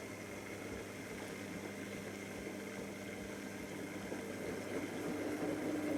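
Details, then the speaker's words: V-ZUG Adora SLQ washer with F06/A6 foreign body trap error: quiet hum then rising motor tone as the drum spins up early before water has drained; owner suspects a pressure switch issue. "So when I go to drain, or put it on final spin, it actually starts going to spin quite quickly."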